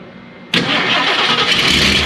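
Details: Yellow turbo truck, first start after prep work, no coolant in it yet, throttle closed, alternator not connected: quiet, then sudden catch into a hissy busy roar settling to a steady rough idle; fires straight up and keeps running.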